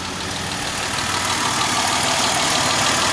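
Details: Dodge Nitro with leaking exhaust valves (misfire investigation), after new timing belt and tensioner, no fan installed: steady, even roar climbing slightly with throttle, no stumbles or misses; engine pulls cleanly and sounds healthy.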